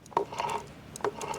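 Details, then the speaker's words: Replacement manual transmission for a 4-cylinder Foxbody Mustang, apparently freshly rebuilt, turned by hand: light gear clicks and soft ratcheting, no grinding or rattle, no shaft play; gearbox sounds healthy. "sounds good it looks good has no play no nothing to the point that I I think that this was rebuilt"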